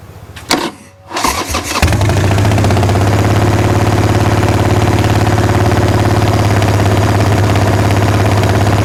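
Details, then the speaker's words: Wrecked 1996 Harley-Davidson Sportster 1200, parked years, on booster with choke: uneven cranking and coughing, then catches into a steady, loud lumpy idle; owner thinks it may be throwing too much fuel, unconfirmed. "She's trying. She almost looks like she's throwing too much fuel."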